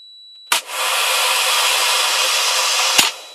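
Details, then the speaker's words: Prototype ballast control and safety unit: a sharp clack as the contactor pulls in, then a hairdryer test load blows steadily before switching off cleanly. The contactor is operating normally. "I can turn this on, and I've got a hairdryer linked up to it. You'll hear the contactor go"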